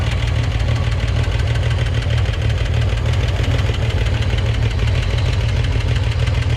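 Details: Used Corvair engine of unknown history, first test start with a test alternator and fan belt fitted; steady idle with fast, light, even ticking; lifters may need time to pump up or re-adjustment.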